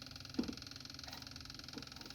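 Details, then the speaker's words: Dodge Dakota parts truck's fuel pump, after a tap freed it and it filled the carburetor; a quiet, even electric hum with a fast regular pulse; normal fuel pump operation. "there it goes now it's working okay sounds right sounds better"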